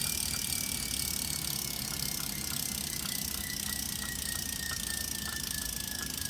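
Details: Wahoo Kickr Snap smart trainer gives a harsh, gritty, extremely loud roar with a steady high whistle drifting lower and fast ticking, both pedaling under load and coasting; new, cause unclear.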